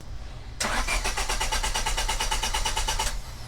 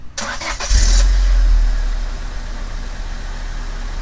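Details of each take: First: 1999 Honda Civic with a no-start. The starter chugs steadily at about three per second with no catch. The main relay behind the glovebox is presented as the most common cause, fixed by resoldering. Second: 1999 Honda Civic after a main relay repair for a no-start: short crank, then the engine catches at once and settles into a smooth, steady idle; starts normally.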